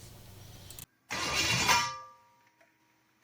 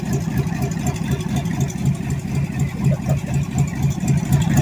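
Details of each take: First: Budget junkyard-rebuilt Chevy 350 small block farm-truck engine on first fire-up attempt, headers fitted: short harsh whirr of the starter meshing with the flywheel for about a second, then it dies away without the engine running. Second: Chevy 350 small-block budget rebuild, first fire-up on the floor with temporary open headers: steady, lumpy V8 idle with an even low beat, rough through the headers but firing cleanly; 6 psi oil pressure, normal idle.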